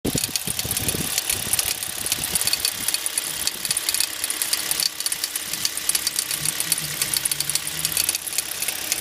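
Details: Hyundai Solaris HD engine running: sharp, somewhat uneven ticking knock about once a second over the idle; knock of unknown origin.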